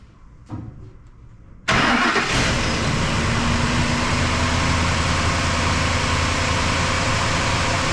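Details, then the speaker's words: 2005 Ford F-150 after #3 spark plug blew out, head threads tapped and new plug installed, codes cleared: short crank, quick catch, steady even idle with no misfires. "well she's running no misfires guy got lucky"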